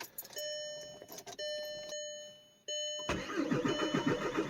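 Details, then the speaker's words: Jetta turbo diesel donor car, sat six months, cold start: starter cranks in bursts with pauses before catching and clattering; hard starting blamed on glow plugs not working right, smokes a little when cold. "she doesn't like to start when the glow plugs don't work quite right but oh she burns she smokes a little bit when it's cold"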